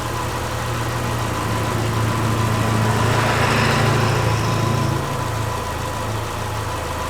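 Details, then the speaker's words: Subaru Forester with freshly reinstalled EJ25 flat-four, valves not adjusted, warming up at about 120 awaiting thermostat opening, charging 14 volts: smooth, even low hum swelling slightly then settling, no ticking or rattles; normal idle. "it's learning its idle and everything so it's gonna scratch so far it's running pretty good"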